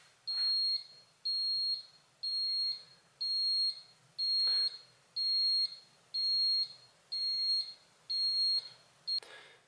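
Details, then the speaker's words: Fibaro Z-Wave FGFS-101 flood detector placed in water: thin high beep about once per second, ten even pulses in a quiet room, its own built-in alarm, faint and hard to hear from afar. "Donc évidemment le son est tellement faible que c'est la raison pour laquelle j'utilise entre autres une sirène,"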